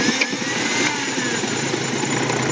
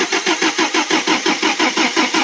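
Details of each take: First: Toyota 22R carbureted Pickup/Hilux 4x4 started by remote start: catches and settles into a loud, slightly uneven wavering idle; owner says the carburetor float level has been hard to set right. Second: Toyota 22R carbureted engine in a 4x4 Pickup/Hilux, started via newly wired remote start on the starter solenoid: steady, strong, even cranking at about five to six beats a second, normal.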